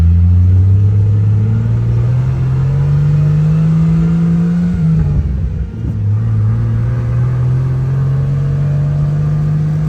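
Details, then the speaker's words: Jeep Grand Cherokee ZJ, lifted, after alternator repair, engine running: low steady drone rising and falling with revs, loud whine since the power steering pump was installed; pump suspected, engine otherwise healthy. "so I got a loud wine I need a new um power steering pump but I just fill it up and just let it be it's been loud ever since I put it on"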